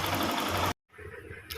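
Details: Hero Glamour FI motorcycle: fast, busy metallic clatter over the running engine before it cuts out; timing chain rattle, timing chain replaced.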